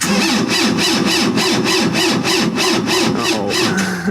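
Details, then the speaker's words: Preheated engine cranked at minus 25°C in extreme cold: heavy, labored cranking about three pulses a second with a whine on top, turns slowly and never fires; owner blames the cold and suspects possibly gelled fuel; no start. "it doesn't like the minus 25 perhaps uhoh which I don't blame him that is pretty fraking cold it's not going to crank enough well too cold I guess that's not so super too good"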